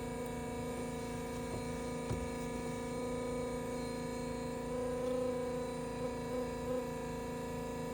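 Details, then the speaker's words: 1984 Mooney M20J aftermarket pre-oiler running before start on a cold engine: steady electric pump hum at even pitch with faint rhythmic pulse, labouring as oil circulates and pressure rises into the yellow; normal. "You'll hear the pump run. And what you're doing is that you're oiling the cylinders."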